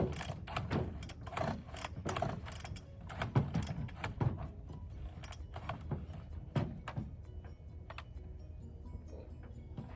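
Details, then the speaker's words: Bolens BL160 two-stroke weedeater with a new spark plug and fresh fuel: repeated rattling recoil pulls, each a brief whir that fades with no catch or firing. Cranks but won't start. "Okay, so it didn't start with a new plug and or new gas."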